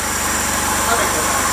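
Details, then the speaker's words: Jeep TJ project started with the clutch fork removed and out of gear: steady, even idle with no banging or knocking over the engine hum; engine sounds healthy, a good working Jeep. "that is it bingo that sounds like a good working jeep"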